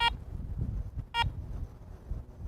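Two short, clear high beeps about a second apart over quiet handling noise; that is the detector confirming it has switched on.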